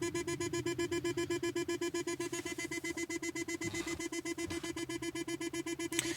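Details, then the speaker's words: 1997 Jaguar XK8, about 91k miles, after shutdown: steady rapid chime near four beeps a second repeating, key stuck in ignition; car believes it is not in park, often on slight incline. "typically does this when when I stopped at a store somewhere and the car is on a slight incline and it doesn't believe that it's in park"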